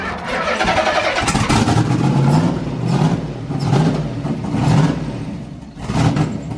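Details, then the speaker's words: Turbo LSX-swapped Toyota Cressida drift car, first start attempt: uneven cranking with chuffing intake backfires about once a second and no catch. Coil pack harnesses were swapped between banks, firing the cylinders on the intake stroke. "the reason you guys were seeing the intake backfires is because it was firing when the vows were off and on the intake side"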